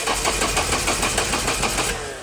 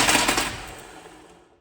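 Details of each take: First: 1992 Nissan 240SX being turbocharged, engine unplugged so it cannot run: starter cranks evenly about four to five beats a second for two seconds, hoping to push oil to the turbo oil feed; healthy crank, no catching. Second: Nissan 240SX stock KA engine, newly turbocharged, seized on first start, cranked again: rapid harsh metallic hammering for about half a second then fading; severe internal knock, oil pan to be pulled to investigate.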